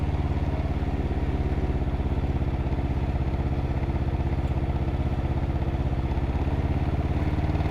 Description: 2021 canam ryker 600 having engine knock sound.